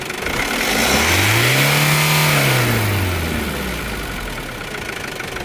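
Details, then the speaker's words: Isuzu D-Max 2.5 TD diesel, 2021 model, 48,000 km: climbs smoothly through one rev and settles back to idle, even and clean with no knock or rattle; healthy engine. "So engine side కూడా చాలా బాగుందండి మీకు ఏమైనా interest ఉంటే ఒకసారి చూసుకోవచ్చు"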